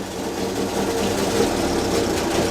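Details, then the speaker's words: 1932 Morris Minor four-cylinder sidevalve, not run in years, no coolant, little exhaust fitted, ignition just advanced: a light, fairly steady idle with a raspy exhaust and no misses or knocks; slightly smoky but healthy. "it's not bad now I've Advanced it a bit yeah but don't forget it hasn't run in years"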